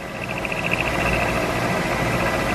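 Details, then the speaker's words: Milling machine, end mill cutting straight into an inside corner: a harsh, pulsing high-pitched ring over the cutting noise as the tool chatters in the corner. "I don't know if you could see it on the video or not here in the camera but you could hear it it chattered pretty good in the corner there"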